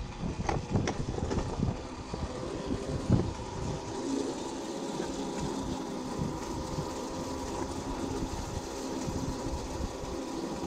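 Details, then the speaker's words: Old electric go-kart with a car alternator converted to a motor (36V 500W, 120A alternator, 36V 18Ah gel lead battery), chain refitted, riding in first gear; steady rattling whir from the chain, fairly constant with speed; noisy chain drive. "J'ai remis la chaîne, on va qu'on fait une petite balade vite fait. En vitesse 1. Ça fait du bruit."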